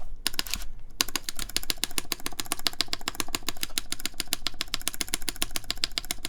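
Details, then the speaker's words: Mode Envoy keyboard, aluminum plate, lubed Cherry MX Black switches, GMK Fuji keycaps, screw-in QMX stabilizers possibly overtightened: quick uneven keystrokes with sharp clacky ticks and rattle, space bar feels tight; stabilizer ticking. "does have some uh taking here so there definitely is a bit of ticking let's hear the space bar here makes it kind of too tight for this this bar"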